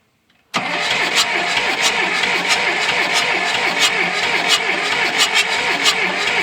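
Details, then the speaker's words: John Deere 2640 diesel tractor that sat for years, on its second attempt after adding diesel and bleeding a line, with a weak battery: fast rhythmic cranking with no firing. Cranks but won't start; the injection pump builds no fuel pressure. "It would never hit on battery. We didn't have enough battery to really do much with it."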